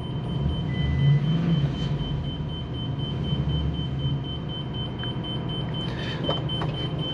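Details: 2021 Sunseeker motorhome, 7.3 V8, 12,178 miles: low steady rumble at idle with no knocks or misses, leveling-jack warning chime beeping over it; normal clean idle.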